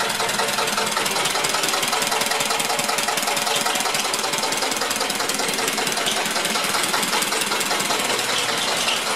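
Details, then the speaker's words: Rebuilt 1999 Metro Listeroid 6/1 single-cylinder diesel genset carrying 3000 W of space heaters, output 60 Hz and 120 V per phase: steady slow thumping at a little under two beats a second, even and unchanging; running normally. "She's running good. We can see we're running 60 hertz, 120 volts per phase, that is."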